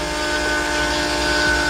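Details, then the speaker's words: Mitsubishi 3000GT drift car, electric fuel pump switched on with the return hose run down to the tank; thin steady whine holding one pitch without surging or rattling, with good flow, so the pump runs normally. "i'm gonna go over here and kick on the fuel pump and see if it works for what i need to do hopefully without making a huge mess"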